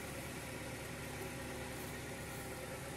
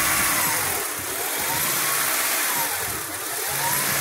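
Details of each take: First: 2000 Honda Prelude SH (H22) after the surging-idle fix, first start: faint, even idle hum with no hunting. Idle is slightly high; owner suspects the throttle cable or a dirty intake. Normal idle. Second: 2000 Honda Prelude SH (H22) idling off the pedal while still warming up: rpm hunts up and down about once a second; steady when held higher, no misfire, worse once warm; surging idle, later fixed.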